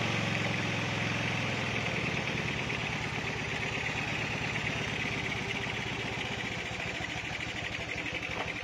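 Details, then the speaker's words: Honda Beat with a stock carbureted engine, PE24 carburetor after a needle and knob adjustment. Loose, lazy idle with soft uneven putting at about three beats a second. Running rich. "Nah jadi bisa dilihat ya bisa didengarkan juga untuk suara keborosan Biasanya seperti ini suaranya ya nah jadi agak seperti itu ya"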